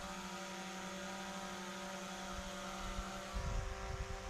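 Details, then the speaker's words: DJI Mavic Pro Platinum hovering about 30 feet up: smooth, steady propeller drone with even tones, less whiny and more pleasant than a Skydio 2; normal healthy prop noise. "It's also not as whiny. The sound tone is also entirely different than the Skydio 2. Clearly more pleasant to listen to."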